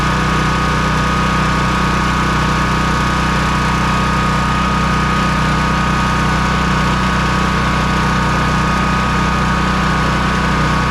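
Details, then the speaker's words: Honda EB3800X generator with 8 hp GX240 engine, new carburetor fitted after won't-run-off-choke fault, governor briefly stuck then freed; steady even governed hum, no hunting, slowed to about 125 volts at that rpm, near 60 Hz, unloaded; normal governed idle. "I slowed it down quite a bit to be at about 125 volts at that RPM. As soon as it gets under a load, it will change some."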